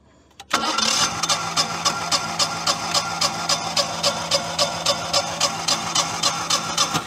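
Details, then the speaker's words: Generac/Honeywell standby generator engine, about 100-some hours, cranking on a compression test with fuel killed: uneven beats, one cylinder barely 150 psi and over 30 psi differential between cylinders. Low compression; valves suspected, maybe poor break-in from short run cycles. "over 30 pounds of differential barely hit 150 on the one so we've got another one with our rears all jacked"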